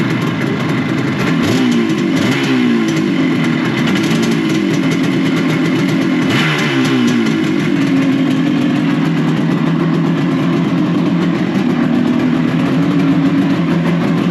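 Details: Classic Benelli 250 2C two-stroke twin, fresh off the workbench, started from cold: blipping and wavering in pitch, uneven and rough on the throttle before warm-up. It is smoking and the clutch is sticking; afterwards it feels okay.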